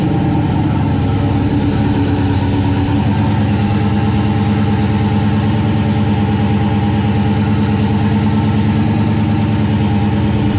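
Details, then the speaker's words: 1969 Plymouth Valiant, stock 360 Magnum V8, Mopar cam, new Proform intake, GT45 turbo at 5 psi, first start in a month: fired instantly, deep, steady V8 idle with an even low beat and no knocks, misses or surging; normal idle. "good deal instantly fired up that's always a good sign"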